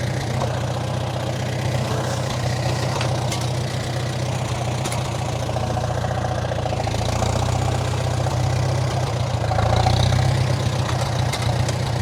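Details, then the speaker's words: 1947 Farmall M on almost year-old regular pump gas left in all winter: lumpy, uneven idle with a stumbling low beat that never settles; rough running from old water-contaminated fuel. "as you can hear it's still running quite rough"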